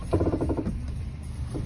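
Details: 2008 Honda CR-V, with the wheel turned: a fast dry crackling rattle from the front. A strut bearing was first suspected, but on the lift a worn front stabilizer link (Zekkert, possibly both sides) was diagnosed.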